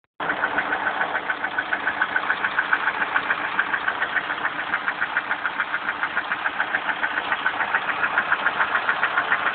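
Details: Lada Priora, piston group replaced, 55,000 km: steady ringing metallic tapping a bit over twice a second over slightly uneven running. Began at 51,000 km only above 70 °C, now constant; loudest at cold start, easing after 2-3 s as oil light goes out; owner suspects hydraulic lifters.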